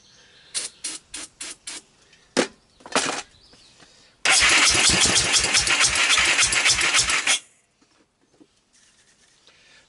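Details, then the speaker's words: 1998 Honda TRX300EX ATV after engine rebuild by previous owner, air cleaner removed: short cranking bursts then about three seconds of steady fast cranking that never catches; cranks but won't start, owner suspects flooding from running very rich. "it takes a mist so at this point this thing seems to be crazy flood it I'm gonna pull the carburetor off let's see what we could do with it"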